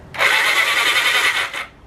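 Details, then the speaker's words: 1980 Honda CB750F Super Sport ex-drag bike: with the suspect solenoid jumped straight from the battery, the starter spins with a quick high whirr for about 1.5 s. The starter itself works, and mystery oil sprays out. "Sounds like the solenoid's having trouble. I'm just going to cross the solenoid right over with the battery on the other side to see if it'll turn the starter. There we go."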